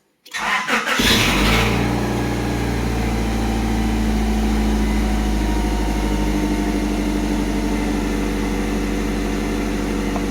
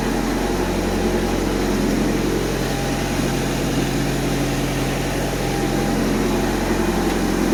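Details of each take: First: Honda Civic bought three days ago with issues, towed home, partly disassembled (a solenoid disconnected): short click-clack burst as it catches on start-up, then settles to a smooth steady idle; owner unsure of the tick's cause. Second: Honda Civic bought three days ago with issues, partly disassembled, fans on: steady, even idle with low constant hum, no misses or knocks; healthy engine settled at idle.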